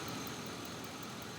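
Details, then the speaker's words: 2003 Chevy Avalanche 5.3 V8 with P0300 random misfire, after replacing the injectors on cylinders 2 and 7: smooth, even idle, no misfires on any cylinder, with one O2 sensor still unplugged. "okay all right well i've changed both injectors on the two and seven and as you can tell it's running smooth it sounds good"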